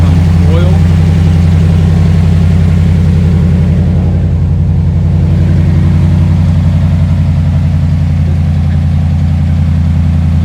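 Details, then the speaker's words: 2010 Dodge Ram 1500 5.7 Hemi (described with a lifter/cam issue) after fresh oil and coolant: steady, even V8 idle, purring but loud with a deep drone from the broken exhaust; no ticking, runs healthy. "It's purring. Kind of seems loud."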